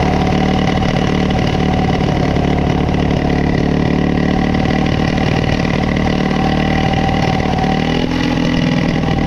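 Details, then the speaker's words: High idle on a Coleman CT200U-A minibike, Hisun 196cc engine, after carb adjustments: hard to start, then holds a fast, steady drone that never drops to tick-over. It runs crazy whatever the adjustment; no bind found and carb gasket alignment checked, cause unknown. "so no matter what the adjustments I make this thing runs crazy"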